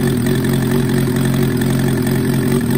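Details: 1994 Suzuki GSX-R750 first start after rebuild with Wiseco 1mm-over piston kit and Yoshimura Stage 2 cams: steady, even idle with a smooth low burble and no knocks or ticks.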